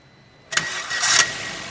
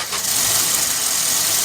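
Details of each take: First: Maruti Swift (stated 2017 model), clutch pressed, called fully OK: a short crank catches within half a second, brief flare, then a steady even idle with no starter drag; normal engine start. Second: Maruti Swift (stated 2017 model), started with the clutch held down: a steady high whirring hiss over the running engine as the starter spins along; starter stays engaged.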